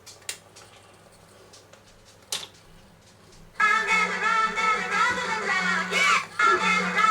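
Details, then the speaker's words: Colaro RC54 record changer played through a signal tracer: near-silent start with odd clicks, then music cuts in and briefly drops out again, caused by a faulty switch underneath the changer cutting out. "That's the switch underneath cutting out. I'll sort that."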